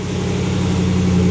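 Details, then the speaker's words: 2019 Ram 1500 Hemi V8 idle after installing BD Diesel exhaust manifolds replacing broken headers: smooth even idle, exhaust leak tick gone, only faint normal injector tick. "No more exhaust leaks. Just injector tick, which is [Music] normal. Nice and quiet."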